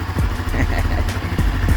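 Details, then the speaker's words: 2022 Honda CB Twister, 12,000 km, after starter drive repair: starter spins and engine catches cleanly into a low, even idle, no whistle or grinding; start noise fixed. "barulho sem aquele assovio feio Beleza então é isso aí"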